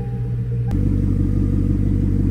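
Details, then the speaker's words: 2009 Hyundai Genesis sedan, 4.6 V8, just after replacing the starter: engine catches within a second and settles into a deep, steady exhaust rumble with no knocks or misses; normal running. "Gotta love the sound of that exhaust."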